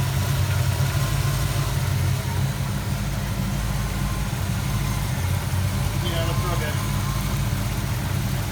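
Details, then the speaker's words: Fox Body Mustang 5.0 V8 after water pump, timing chain and larger alternator replacement: deep, even idle with a steady low rumble and no knocks, ticks or misses. Alternator charging, coolant full; runs healthy after reassembly. "yeah not bad for as long as it was apart right i love when that happens everything looks good good deal"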